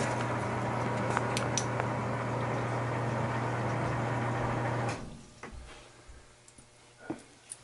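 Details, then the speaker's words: Home air conditioner on a no-A/C service call: loud, steady low hum for about five seconds, then cuts out; technician suspects the blower. Failed blower motor. "uhoh that's that's not good uhoh sound like a sound like a blower problem"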